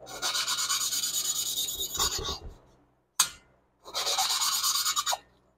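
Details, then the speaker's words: Lapping valves by hand on a 1976 Porsche 912E Type 4 2.0 cylinder head: coarse, gritty rasping strokes in bursts as the valve seat hasn't mated yet; the grind gets quieter as lapping progresses, and the tone change signals it's done. "and as you do this it starts to hear and get quieter and quieter and that's what you're after you're after that tone"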